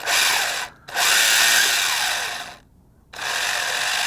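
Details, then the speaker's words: ZD Racing 10421-S B-10E 1:10 4WD RC car (T3650 3300KV brushless motor, 45A ESC, 2S LiPo) driving on gritty dirt: high, rough whirring in bursts with short stops between. Drivetrain grinding is suspected, not confirmed. "I don't know if you hear that but I'm hearing some noise here hold on"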